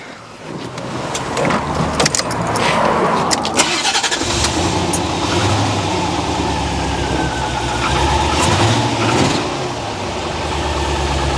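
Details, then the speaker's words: Barn-find C4 Corvette ZR-1 after an ECM repair, after cutting out: it catches after cranking and settles into an uneven, lumpy idle with the engine light on; the battery terminal is checked, cause unknown. "ah this is frustrating it's um it's now looking like the engine's not running properly again after all that excitement"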